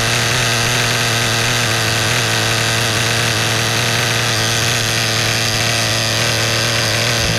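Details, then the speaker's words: New Kasemo Fotia nitro RC car engine during break-in, second start with no adjustments made. High buzzing idle holds steady for several seconds without the surging heard on the first start. Settling in normally. "คืออันนี้เสียงเริ่มนุ่มและอย่างแรกที่สตาร์ทติดว่าจะลืมอ้ายขึ้นลงตลอดนะพอสั่งที่2เนี่ยรอบเครื่องเริ่มนิ่งแล้ว"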